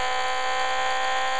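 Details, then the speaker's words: Homemade battery-driven pulse motor with a new centered, balanced rotor, heard through a radio at high RPM: steady, high, unwavering buzz, smooth running. Normal running. "it's really cranking out and hopefully I'm going to turn this off hopefully you can see the uh how great that little rotor is running using the method I use to build it with"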